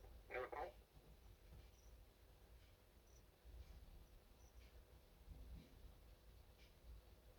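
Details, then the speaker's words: Record player with built-in speakers, hooked to a stereo, with no aerial: a brief tinny burst of voice, then faint thin voice fragments with numbers, like air traffic control, over a low hum; suspected radio interference breakthrough, unconfirmed. "i don't know how it was doing it sounds like air traffic control or i don't think it was police but you can hear you can hear numbers"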